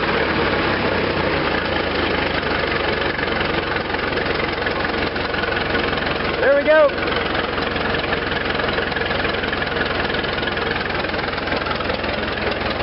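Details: Restored Farmall Regular tractor, four-cylinder, choked then started on impulse with spark at half, idling: slow, slightly loping beat with no knocks; sounds healthy, though elsewhere it ran bumpy as if short of fuel.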